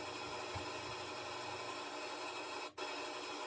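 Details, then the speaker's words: Washer after replacing the broken belt: steady, even whooshing rush of the drum spinning fast on spin cycle, no thumping or slipping; repair successful, spin sounds normal. "So the water is spinning very fast with the new belt. It worked out."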